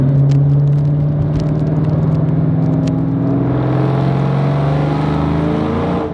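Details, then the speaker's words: SVT Terminator Cobra V8 with new aftermarket headers and Triple S cat-back, under acceleration: deep, raspy note climbing smoothly, no ticking or leak puffing; louder and deeper than stock manifolds, which owner suspects leaked, upsetting the primary O2 sensors and idle. "You see how it kind of brings out the raspiness? I really like how it deepened the tone of the exhaust."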